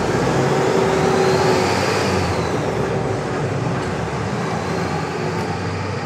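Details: FAW diesel truck that was hard starting and shaking, after repair: steady, even idle with a smooth low rumble and no shake or stumble; engine idling normally.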